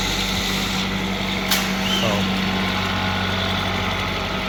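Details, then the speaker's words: Car that had a misfire, fixed by swapping in a known-good spare cylinder head, cleaned and torqued down; cold day, heater fan noise over a smooth, steady idle hum with an even rhythm and no misses or knocks, engine running properly. "Yeah, it runs really good. My brother helped me do it because I barely have time."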